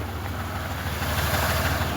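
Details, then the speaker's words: Monte Carlo just after a rod bearing repair, idling for a while outdoors in single-digit temperatures. Low, lumpy, uneven idle; rough idle, cause not yet confirmed. "it is out there idling let's go check it out it sounds rough maybe it just died oh there it is so she's running but you can hear"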